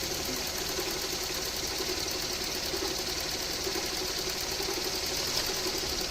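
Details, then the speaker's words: Toyota AE110 at idle after AC overhaul (refrigerant refilled, new condenser and drier, Denso parts): steady even whir with light hiss, both fans on speed 1, compressor clutch engaging quietly, no clicking or grinding; normal. "ดูแลตัดต่อปกตินะครับแต่ตากพัดลมหยุดมีพัดลมทำงานSpeed1ทั้ง2ตัวแอร์สับนะครับเสียงตัดต่อหน้าคอมเงียบปกติ"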